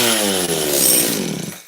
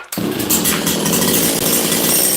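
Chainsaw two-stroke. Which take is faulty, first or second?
second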